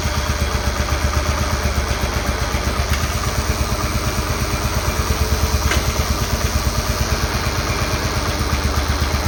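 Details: Cub Cadet 1211 lawn tractor after 30mm transmission replacement, running while adjusting out creep with cam; small single-cylinder chugging at steady idle, even firing pulses, no knocks or clatter: normal running.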